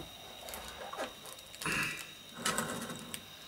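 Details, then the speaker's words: Old tape recorder running transport, capstan silent: light uneven clattering bursts about once a second, traced to the idler wheel. "it's actually coming that noise is actually called from the idler and I can get the idler out there we go"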